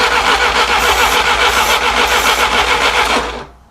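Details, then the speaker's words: 1957 Willys FC-150 engine cranked with starting fluid: steady rhythmic cranking at about three and a half beats a second that never catches; the coil is powered but the distributor sends no spark to the plugs. "Okay. So, we're able to diagnose with a test light that the ignition coil is getting power and power is going through the ignition coil wire to the distributor. The part where we're having issues is the distributor is not sending power to the spark plugs."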